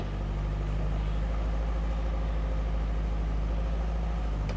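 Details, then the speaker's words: 1976 Triumph TR7 idling in neutral: deep, rough rumble with an uneven low throb, a horrible noise of unknown cause. "let's start it up we're in neutral whatever horrible noise that is making it is making"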